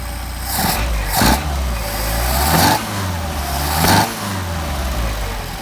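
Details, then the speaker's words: Mercedes 190SL with freshly rebuilt Solex 44PHH carburetors, warm, linkage connected and synchronized: three clean throttle blips settle back to about 725–750 rpm idle with no backfire. Normal revving. "gonna back up about 725, 750, right where it's supposed to be. And we had no issues with backfire."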